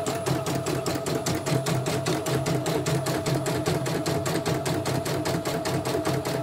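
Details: CNY E900 embroidery machine after dynamo (motor) replacement and sensor test, reversed and run again: fast, even stitching clatter with steady motor hum, no skipped stitches; stitching cleanly, ready to ship.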